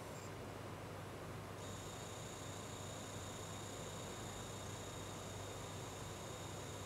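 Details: GIGABYTE GeForce GTX 1070 graphics card: faint thin steady high whistle with an even higher companion tone over low hiss; choke coil whine.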